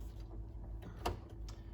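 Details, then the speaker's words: 1992 Olivetti M4-40 modulo 80486 computer, floppy drive B reading a disk: quiet spindle hum with a few sharp head-step ticks while seeking; normal floppy drive read. "let me just put in a random disk just to see if we can see anything in drive b"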